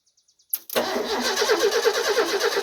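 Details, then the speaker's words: 1989 Ford F-150, 300 inline-six with 4-speed manual, 4WD, sitting 8–9 years, cranked via the solenoid: a few clicks, then the starter spins the engine steadily at an even rhythm; it turns freely, not seized. "Well, it's not locked up. There's some good news."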